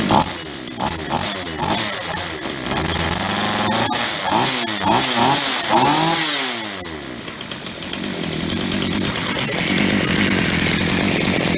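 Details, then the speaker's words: Roadside-salvaged Ross two-stroke chainsaw after repair, fuel flowing with no leaks: starts after 2-3 pulls, revs up and drops back cleanly, then a crisp steady buzz; runs fine, though bar oil isn't reaching the chain. "Started after 2-3 pulls. Runs like a champ."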